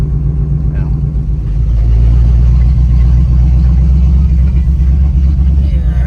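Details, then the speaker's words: 1978 Chevrolet C10 V8 warm at 180 degrees after carburetor replacement: revs with ragged uneven beat and stumbles, spitting; owner adjusting carburetor jet to cure misfire. Cause suspected. "spitting a little bit but let me mess with the jet again"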